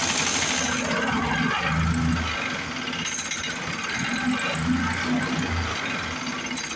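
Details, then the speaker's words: 1950s Lawn-Boy bricktop two-stroke with low compression, points cleaned, running on carb cleaner: ragged chatter surging and sagging every few seconds, barely staying lit; fuel not getting through carburetor, carb may need pulling; runs only on starting fluid. "Trying to make it suck through the carburetor with my hand. I don't want to run it off carb cleaner too long. Might wind up having to pull that carb."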